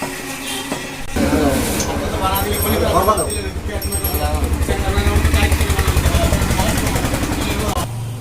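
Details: Bajaj Discover single-cylinder bike after repair: cylinder bored for 50-size piston, head guides and seats redone, worn clutch plates and pressure plates fixed for a clutch-in knock; runs at a steady even beat of about 220 pulses a minute, no knock, street noise behind.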